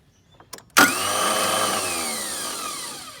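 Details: Failing starter on a Toro TimeCutter zero-turn mower: a couple of faint clicks, then a high whirring whine winding down with no engine crank as the starter spins freely; it takes many tries to start.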